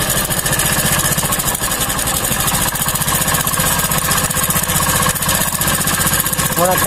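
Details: Hero bike engine idling just after fitting the timing chain tensioner; fast light top-end rattle about four per second, tensioner still waiting for engine oil, expected to quieten after 3-4 minutes running; timing chain tensioner rattle.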